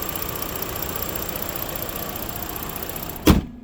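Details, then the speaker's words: 2018 Ford Explorer 4WD, 51,000 miles, transmission fault (reverse fine, forward makes loud noise): engine idling, low steady even hum, no misses or knocks, one thud near end; battery charged, motor dry. Normal idle. "got a nice engine idling nice and smooth body is straight look at that"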